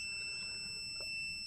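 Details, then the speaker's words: 2015 Nissan Juke in limp mode with warning lights across the cluster: steady high-pitched dash warning buzzer with engine off, starting only once the scan tool was plugged in; cause not yet known. "once I plug the scan tools the dung girl it start make that noise guys before I use my scan tool to diagnos this vehicle it doesn't make that sound guys"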